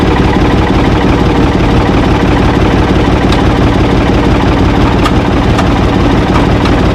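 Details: Ford 445 diesel tractor, thought to be a 1970s model and bought at online auction, with a steady, even chug of about three beats a second and no knocks or misses; it moved during the test, then quit, and the owner suspects worn linkage. Normal healthy idle.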